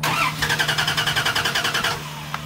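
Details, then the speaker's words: Old Dodge Dakota sat about seven years, no fuel pressure, fuel pump seized, tried on starting fluid: starter spins the engine with an even chug of about nine compressions a second but never catches or fires; crank no start. "no it's not getting nothing it's starting fluid decisions I think we may be out of luck fellas"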